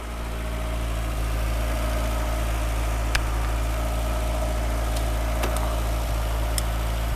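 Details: 1980s Volkswagen Cabriolet/Rabbit revived after sitting unused about 8–10 years, smoking while it burns off: steady, even idle with a smooth low drone and no knocks or misses. Normal idle.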